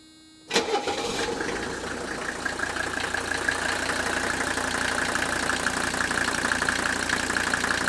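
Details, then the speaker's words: 1985 Mercedes 300TD wagon, used replacement engine, started after a short glow: brief crank, catches at once, settles into a steady, even diesel rattle at idle like the 300SD, no misses, no smoke; normal start and idle. "now this one sounds very similar to the 300 sd you can hear that distinct rattle of the engine that idle"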